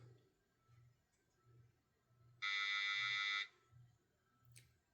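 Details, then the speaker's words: Alarm system armed away after code entry with four delayed zones flashing: a single one-second keypad buzz signals the exit delay has expired and the system is armed, away LED lit. "You heard a little buzz come from the keypad. So that's indicating that the exit delay has expired and the system is now armed. You can see it's armed to away that away LED is lit up."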